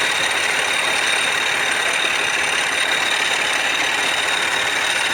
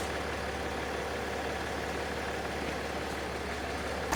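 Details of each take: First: Land Rover Discovery 4 3.0L SDV6 diesel idling with a loud, uneven metallic rattle from the engine front over a hissy top end; cause suspected, not confirmed. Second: Land Rover Discovery 4 3.0L SDV6 diesel, loud rattle addressed by replacing auxiliary belt and tensioner: steady even idle with smooth low drone and no rattle or chatter; normal, healthy idle.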